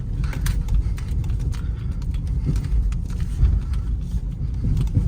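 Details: Peugeot 308 (EP6) on a test drive over concrete slabs after swapping polyurethane anti-roll bar links for standard ones: only low road rumble and soft thumps at the joints, with no clunks or rattles. The earlier knocking is gone.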